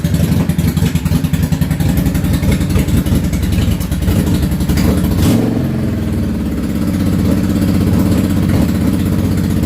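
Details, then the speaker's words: Yamaha V-Star 650 Classic, cold engine, choke fully off, after new fuel lines, fuel pump and carburetor work: lumpy, uneven V-twin idle with beats dropping out; the rear cylinder fires steadily, the front fires on and off, suspected front-carb fuel transfer issue. "one of them is sporadic the rear one seems to be firing constant and the front one seems to be kind of on and off firing"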